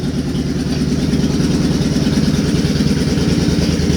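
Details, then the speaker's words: Warm Suzuki Boulevard C50 V-twin after a new fuel injector and Cobra FI2000 fuel controller install: steady even idle about three beats a second with light valve ticking that starts once warmed up, considered normal; sounds healthy. "yeah they're starting to kick now once she warms up that's normal though you don't you don't want to have quiet valves loud valves are happy valves on these [Music] bikes i think it sounds awesome"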